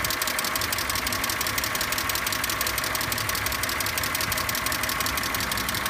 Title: E46 clicking noise